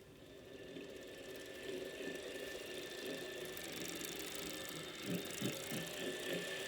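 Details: Wahoo Kickr Core trainer spinning: rough whirring rumble, thin steady whine and irregular knocks from a bad bearing; fixed by replacing the bearing.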